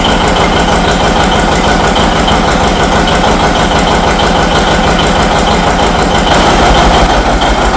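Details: John Deere 70 two-cylinder tractor, cold start before warm-up and a hill test: loud, even chug at a steady pace after it catches, with no misses or knocks; healthy start and idle.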